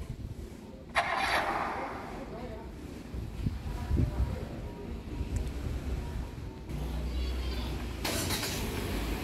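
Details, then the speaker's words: Hyundai Stargazer engine started remotely via Bluelink app: short crank, then catches and settles into steady, even low idle with no knocks or misses; normal engine start. "ini dia mesin mobilnya menyala"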